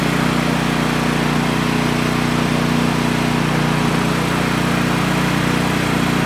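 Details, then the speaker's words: Brand-new DR Power Pro XL30 field and brush mower on its first start, before break-in: a smooth, even single-cylinder idle with a steady beat and no knocks or misses. A normal idle. "And now I'm about to fire it up for the first time, see what it sounds like."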